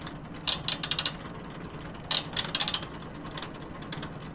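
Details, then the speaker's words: Laundromat washing machine with the door latched: bursts of rapid metallic ratcheting clicks as the timer knob turns; the timer mechanism is slipping internally, fixed by swapping in a timer from a donor machine. "This is slipping. This thing is slipping. Yeah. Okay. So, there's definitely issues here."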